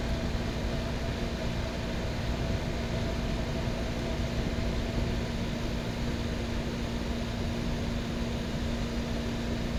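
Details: 1970s Westinghouse 6,000 BTU window air conditioner, newly installed, 70°F humid day: steady even hum and airflow hiss at a constant low tone, no knocks or rattles; running quietly and smoothly.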